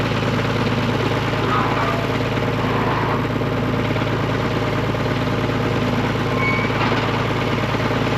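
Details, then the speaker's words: Diesel tractor at low idle with a fast, uneven chatter over the steady engine beat. The recently replaced front hydraulic pump chatters; it must be idled up to get fluid to the pump and seems never to have worked quite right. "If you hear that chattering, that's that front pump chatter."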